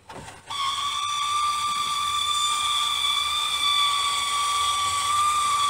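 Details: 1999 2g Eclipse GST Spyder convertible top, left (driver's) side: steady piercing high squeal at even pitch while the top motor runs up or down, about 75% of the time; owner suspects a broken pin in the gear drive mechanism.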